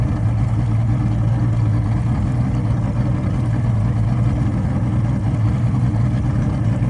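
Low uneven drone with a stumbling, irregular beat as it runs after stalling, sounds like a misfire, cause unclear.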